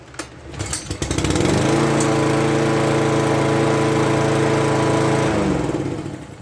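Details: Toro push mower, warm from just mowing; pulled over, catches within a second and holds a steady, even drone for several seconds before shutdown, healthy and smooth running.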